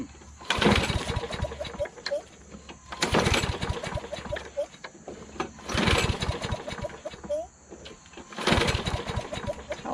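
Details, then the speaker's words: John Deere JS26 self-propelled mower with a Briggs 6.75 Quantum engine, swapped replacement carburetor: three pull-start bursts about three seconds apart, each coughing briefly but never catching; that carburetor was found trashed and very dirty inside. "that this one doesn't work so i took that carburetor off guess what it was completely trashed really dirty inside could have sworn i cleaned it must be another one"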